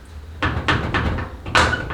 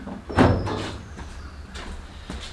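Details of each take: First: 1956 VW Beetle with original door seals and a broken front hood latch handle: short creaky squeals and dull thumps as the hood is worked by hand. Hood latch area suspected. Body squeak. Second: 1956 VW Beetle front hood latch, broken latch handle repaired and adjusted to stop squeaks: a few dull thumps and light clicks as the hood latches, with no squeak or creak; the latch sounds fine.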